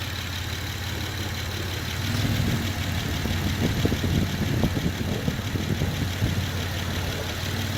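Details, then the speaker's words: Honda Pilot SUV idling with AC on, running on a homemade 12V battery of revived dead A123 LiFePO4 26650 cells; voltage holds steady as the compressor engages. Even low idle with a slight load rise; runs smooth, nothing abnormal. "The compressor kick in. Voltage is still at the same. I think this is fine. The battery can handle that. The AC is on."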